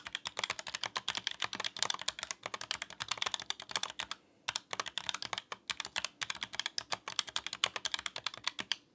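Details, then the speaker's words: ROCCAT Vulcan II Mini Air 65% keyboard with red linear switches (45 gf, 1.4 mm actuation) advertised as quiet: typing gives fast bursts of sharp, loud clacks with a hollow rattle; switches not quiet, noticeably rattly. "don't think that they're quiet at all, and moreover, they're quite a lot of rattling."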